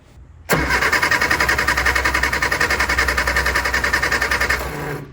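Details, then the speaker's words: Barn-find Austin Mini 850 pickup stored 30 years, new spark plugs, spark tester fitted: steady starter cranking at about three and a half beats a second, never catching; no spark, owner suspects bad points, 12.5 V at coil. "there was no spark which is not surprising I'm sure the points are no good at this point"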